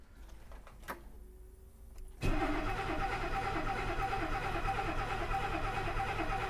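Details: 1969 Mercedes 280SE, unstarted for 18 years, with a rebuilt mechanical injection pump and an external tank; the cold start solenoid is to be checked. Faint pump buzz, then steady cranking about three beats a second without catching.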